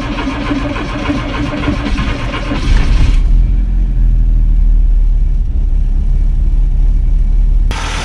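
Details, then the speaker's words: 1986 VW Golf 2 with 1.8 GX 90 hp engine, sat almost five years; it starts a little slowly but catches and settles into a steady, even low idle with no knocks, misses or hunting. Previously it idled too high from a misadjusted idle screw. "что я так что мотор работает вы слышали можем сейчас еще раз то тонуть но он стартует немножко так медленно"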